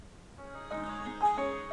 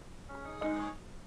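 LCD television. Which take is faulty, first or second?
second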